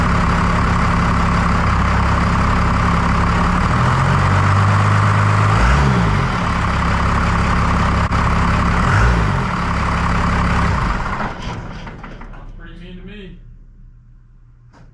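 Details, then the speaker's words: 1993 Dodge W250 5.9L 12-valve Cummins after injector replacement and bleeding the injector lines: even, steady diesel idle clatter about four beats a second, no misses, then shut off; steam from spilled diesel on exhaust; healthy idle. "but yeah I think she sounds a lot better"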